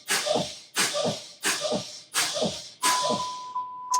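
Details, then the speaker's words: Ford CDL truck pre-trip air brake test, pumping brakes to drop pressure: five sharp air hisses then a steady high buzz as the low-air warning comes on between 80 and 60 psi; alarm works. "And that is working. So we have the alarm working as well. You can hear and see. So that would tell you that your alarm for low air is working."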